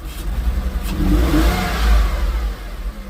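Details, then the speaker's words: Porsche after repairing mouse-chewed wiring, with several wires including possibly mass airflow sensor power still unconnected: engine blips up cleanly and settles without misses or knocks, though it dips at idle and wants to die. Normal revving. "sounds good still kind of wants to die I wonder what that is maybe she just needs a minute"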